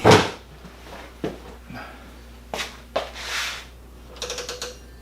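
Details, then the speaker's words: Old machine-shop machine, formerly used for making rubber molds, head to be torn down: scattered dry clicks and ratcheting inside the head as the spindle moves up and down; clicking in head, cause not yet found. "You hear that, and you move the spindle up and down, something's not right inside."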